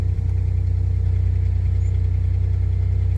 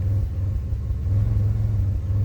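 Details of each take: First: 2005 Pontiac Grand Prix after a new ignition coil and cleared codes: starts quickly and idles steady and even with no stumbles, no misfires counting, unlike before when the accelerator had to be held to keep it running. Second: 2005 Pontiac Grand Prix idling in park: low rumble that lurches unevenly every so often instead of pulsing steadily; scan tool shows a single-cylinder misfire on cylinder one.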